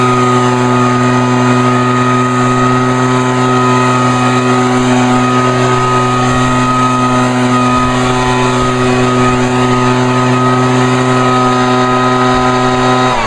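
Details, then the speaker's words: Vintage Echo PB-400E backpack blower throttled up by the left-side lever: a loud, steady two-stroke wail at one constant pitch, with no surging or stumbling. Normal full-throttle run. "not too bad yep it's a it's a loud one but it's a good one though"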